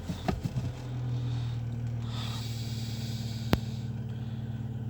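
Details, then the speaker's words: Car with P0507 and the check-engine light on, warm after 15 km, idle air control valve and throttle position sensor already replaced without effect: steady, smooth idle held high around 1000–1100 rpm with no misfire; cause still unknown. "она держит почти 1100 оборотов. 1000. Обороты повышенные."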